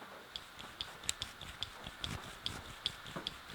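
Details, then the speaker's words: Exhaust VANOS cam phaser from a BMW N42B20 Valvetronic engine, removed and shaken by hand: sharp metallic clicks about once a second; worn, pitted internals cause the VANOS rattle. "Mam nadzieję, że ten dźwięk kojarzy Wam się z grzechotaniem Vanosa."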